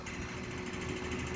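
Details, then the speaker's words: Midea inverter air conditioner outdoor unit: fast steady buzzing rattle over low hum from the unit vibrating against a loose support that sat too far away; noise stopped when pressed up; extra rubber pads didn't help. "e aí que quando eu pressionava ele PR cima Ele parava o barulho e aí o defeito ó só tá vendo aqui não sei se consegue focar tinha um apoio dele mas estava distante"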